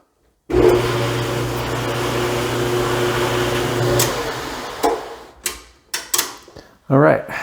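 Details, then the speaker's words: Dryer on cool, quick check after lint chute replacement, drum riding on felt pads and nylon/UHMW strips: even motor hum and steady low drone, no scraping or thumping, then winds down; drum runs smoothly. "right, so it sounds good. The little felt things, it's riding on all the parts now."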